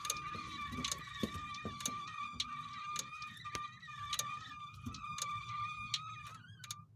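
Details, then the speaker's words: 1985 Chevrolet Caprice, rear wheel raised, driveshaft turned by hand at the transmission tailshaft: steady high squeal with dry clicks about twice a second when turning in the forward direction, quiet in reverse; owner suspects the seal or a bearing. "Я вращаю кардан. И вот такой звук чудесный. Поет или скрипит. Что это? Сальник или какой-то подшипник."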